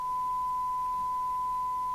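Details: Rotel RVC220 CB27/81 UK FM CB radio receiving after repair of reverse-polarity damage (audio IC, output transistor replaced), signal-generator test tone: clean steady tone about 1 kHz, no buzz or distortion; receiver audio working properly.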